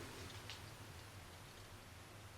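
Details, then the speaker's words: Blackface Fender Vibrolux tube guitar amp with new caps, first power-up on all new tubes and a 5AR4 rectifier: soft continuous crinkling over a low hum as the tube filaments warm up, which is normal. "can hear them going crinkle crinkle."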